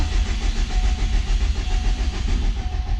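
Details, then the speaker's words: Subaru Impreza GC8 RSTI track build, engine cranked with ignition fuse 11 pulled to check oil pressure (gauge climbs, solid pressure): even starter churn, no firing, no grinding; normal cranking with ignition disabled. "I went ahead and pulled the ignition fuse, which is number 11 there. And we're gonna crank it over just to verify we have oil pressure."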